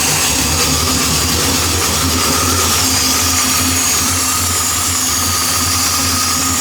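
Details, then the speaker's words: 1973 Impala 406 small-block Chevy V8 after lifter and guide plate repair, distributor backed off slightly, warming up; catches every time and settles into a steady, even deep idle, no stumbling. Normal running after start. "All right, so right now it's firing up pretty much every time you hit it now, but I'm probably gonna end up repositioning my distributor so it's a little bit more straighter."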